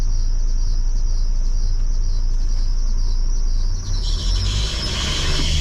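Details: Truck, apparently diesel, with a harsh noise as soon as it starts: a steady low idle with a chirpy rasp on top; no fault codes on the dashboard, cause not pinned down.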